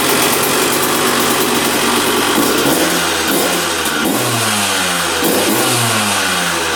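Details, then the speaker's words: 2001 Honda CR125 two-stroke dirt bike, started after fix-up, choked: crisp crackle at idle then clean sharp revs without stumbling; running pretty darn good, normal. "Well, running pretty darn good."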